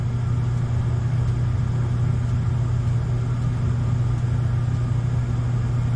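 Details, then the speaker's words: Gas furnace on the new control board, old blower motor: it had to be hand-spun to start and then runs slow and sluggish with a low steady hum and dull drone. The start capacitor or a worn motor was suspected. "I had to give it a spin, which kind of indicates that the either the starter capacitor isn't giving me enough juice, or the motor's just worn out. So that could be the next probl"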